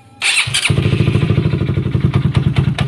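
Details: Honda CBR150R / CB150R engine with TDR racing exhaust, noise from the right-side clutch block: engine catches and settles into a quick, choppy idle with a coarse rattle over each beat; worn clutch basket damper rubbers.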